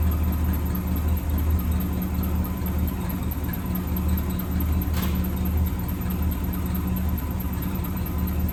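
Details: 1963 AMC Rambler wagon 287 V8 at idle: thin high squeal steady over lumpy idle; left-bank rocker shaft starved of oil after its bolts were mixed up during valve stem seals, rockers dry with metal flakes, metal on metal.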